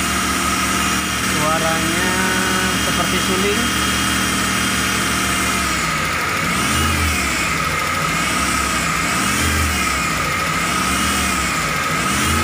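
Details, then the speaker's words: T120SS fuel-injected engine, revved: steady flute-like whistle rising and falling with each rev, heard as the pump draws oil; a dented oil pan presses against the oil pump pickup. "Oke Bro jadi suaranya itu berasal dari bawah yaitu dari pancit poli ini yang penyok jadi panci ini karena terlalu di dalam akibatnya adalah pompa oli atau corong dari ujung pompa oli itu mepet dengan plat dari panci oli ini sehingga terjadilah suara seperti ini ketika oli naik atau oli disedot"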